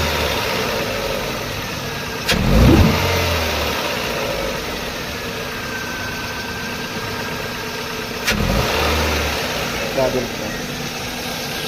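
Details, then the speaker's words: Toyota Corolla XLi petrol: uneven, lumpy idle that stumbles and flutters when revved, engine misfiring due to burnt number 1 ignition coil. "السلام علیکم دوستو، جیسا کہ آپ نے دیکھا ٹویوٹا کرولا ایکسل مسنگ کر رہی ہے. تو یہ کیوں مسنگ کر رہی ہے ہم آپ کو ابھی دکھائیں گے. ریس دیتے ہی یہ پھڑپھڑا سے جاتی ہے، گاڑی مسنگ کر رہی ہے. تو اس کی وجہ یہ ہے کہ اس کی 1 نمبر کوئل جلی ہوئی ہے."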